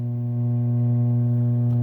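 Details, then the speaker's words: 51-year-old C3 Corvette Stingray radio after replacing its electrolytic capacitors, AM setting; steady low electrical buzz across the entire dial with no stations, FM receives one station with fuzz: AM radio buzz, no reception. "on the am setting and you can hear the buzz turn it up a little bit"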